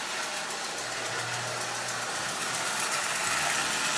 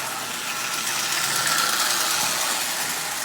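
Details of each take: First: Marx prewar 999 tin toy locomotive, about 85 years old, after basic lubrication, running forward and reverse with even high-pitched motor buzz and light wheel clatter, no grinding; runs smoothly. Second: 85-year-old prewar Marx 999 tin litho locomotive, lubricated only, running at about 30% power: a thin buzzy motor whir with a light tick about four a second as a push rod hits the bent front crossbar.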